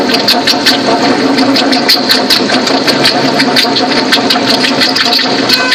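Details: Toyota Sequoia 4.7 V8 at idle: loud fast steady ticking chatter from the front of the engine; bad idler pulley bearing in the fan bracket, which looks like the water pump, though the water pump is timing-belt driven.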